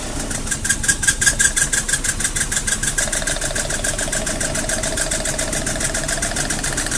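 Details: Mazda Protege (2000 or 2002) very rough idle under diagnosis: uneven, lumpy idle that stumbles and pulses irregularly; cause not yet found.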